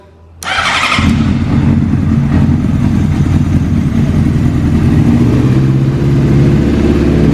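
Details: Rebuilt 2005 Honda CBR600RR with a new tilt sensor being tested: fuel pump primes, then the engine catches at once and settles into a steady, even idle with no knocks or misses, running healthy.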